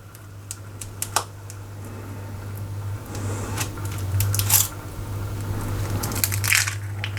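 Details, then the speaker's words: Rexel laminator left unused for a long time, switched on: steady low motor hum with cogs turning and irregular crunchy crackling bursts as paper is chewed. Laminating pouch jammed in rollers. "Switch it on. The cogs are going around. As you can see, it's making some crunchy noises."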